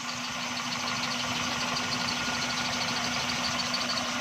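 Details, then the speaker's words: XLI 1.3 on CNG after gas kit mixture tuning: steady, even idle hum with no stumbles or dropouts; misfire completely gone, engine smooth. "गाड़ी की मिसिंग अब बिल्कुल ख़त्म हो गई है। ये देखें, इंजन की कंडीशन चेक करें, बिल्कुल स्मूथ हो गई है।"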